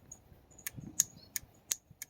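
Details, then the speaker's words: EGR vacuum solenoid from a Toyota T100 with a 2.7L 3RZ-FE engine and code P0402, bench-tested with alligator leads. Crisp clicks about three a second once energized, but it works only intermittently and the coil is suspected of an intermittent short. "So now it's working. Okay, so the solenoid is working now. So what I'll do, I already so kind of like an intermittent problem here, and you saw how I ohmed it out."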